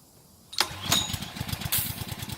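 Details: Honda 6 hp pressure washer engine, sat outside 2–4 years with suspected water in the gas tank, after oil, gas and spark plug change and carburetor cleaning: pulls over and catches straight away into a quick, even putter with no stumbling; runs fine.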